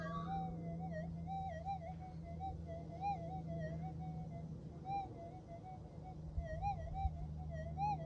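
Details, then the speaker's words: Minelab GPZ 7000 metal detector, modified unit compared with a standard one, in a suburban back yard near power lines and domestic appliances: a wavering warbling whistle over a steady low hum, electromagnetic interference noise that changes with retuning and swings. "anyway the noise is just too great I really should not be doing this in Suburbia"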